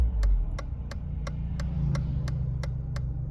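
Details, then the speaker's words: 1993 Mercedes 220CE W124 with M111 2.2 engine after new throttle body and coil harness wiring, warming up on old fuel: runs and revs smoothly with a steady hum and light even ticking, no misfire; rough running apparently fixed. "seems to be all right so fingers crossed this is finally on part six rough running sorted"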